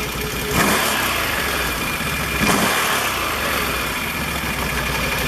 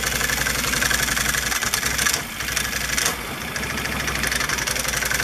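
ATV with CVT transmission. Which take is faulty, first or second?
second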